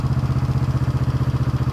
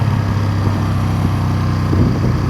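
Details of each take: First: 1971 Honda CB350 twin, after the idle screw was put back in: steady even idle thumping, still higher than wanted; high idle speed. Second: 1971 Honda CB350 twin on a ride, previously claimed to have low compression: strong, even exhaust beat that rises cleanly on throttle, sounding like healthy compression on both cylinders; rear brakes need adjustment and the chain may too.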